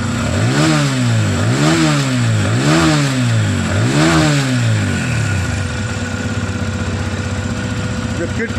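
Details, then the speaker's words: TVS Apache RTR 160 FI BS6, about 5,000 km, after tightening to cure the customer's tik-tik tappet noise: four quick throttle blips then steady single-cylinder idle with no ticking; tappet noise gone. "Cell bike start है अब bike के अंदर देख सकते sound पहले वाला नहीं आ रहा है"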